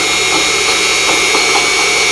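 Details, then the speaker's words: Unimat SL1000 mini lathe with a 10-degree tool turning rebar; steady high motor whine with brief note dips as the cutter hits hard inclusions in the bar, briefly loading the motor while still cutting fine chips. "Every time you hear that little bobble in the motor, it's hitting a piece of junk."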